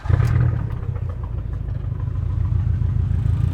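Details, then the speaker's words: Abarth 500/595/695 engine idling after swapping cylinder 3 and 4 spark plugs to trace the fault: low, lumpy idle with uneven stumbling exhaust beat as one cylinder keeps dropping out; still a misfire, previously on cylinder three. "So, we've got the engine running again. Again, still a misfire."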